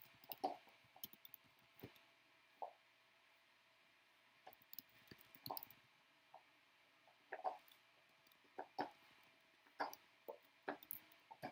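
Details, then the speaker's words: Voron Switchwire 3D printer printing a never-before-used filament: quiet room with scattered sharp pops and crackles about once a second from the hotend; owner suspects moisture in the filament, not confirmed. "yeah i definitely can hear that filament popping all the way from here though"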